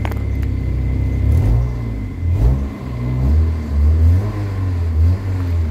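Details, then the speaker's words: Kia Pride after XADO engine treatment (500 mL in oil, additive in fuel tank) for white smoke, low power and vibration: engine revs up and drops back cleanly, held under 4,500 rpm, even deep exhaust, no stumble; throttle now responsive, smoother at 2,200. "Buti yung RPM Ayan oh responsive na siya Tingnan niyo yung paa ko"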